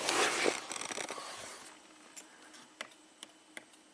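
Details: 2007 BMW 328Ci hardtop convertible, after tweaking the rear module bracket so the top module reads closed: four crisp clicks about half a second apart as the top and window relays switch; relays now working, front windows respond.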